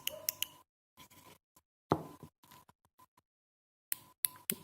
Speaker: we can hear the clicking of the switch and if you can hear here okay it switches really well this is a almost new switch